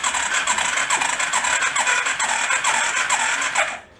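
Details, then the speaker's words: Long-unused rat rod quad cranking without catching: quick steady beat with wheezy puffs between strokes; owner suspects the intake isn't sealing and it's blowing back out the carb, unconfirmed. "like it's trying to push backwards doesn't it like the intakes not sealing and it's kind of blowing out the carb"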